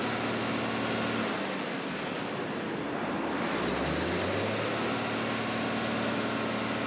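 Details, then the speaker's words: Challenger tractor diesel after repairing a worsening exhaust leak at the muffler: steady, even clatter with no puffing or ticking from the exhaust side; engine sounds healthy, normal running. "we fixed the exhaust leak um we just had it running and everything seemed all right all the exhaust is going out where it's supposed to sounds good"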